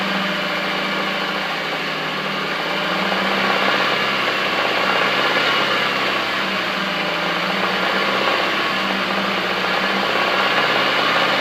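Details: 2015 Nissan Micra SV, HR16DE petrol engine, at operating temperature with only 659 km, held at raised rpm with a steady repeating knock; the knock occurs at certain RPM.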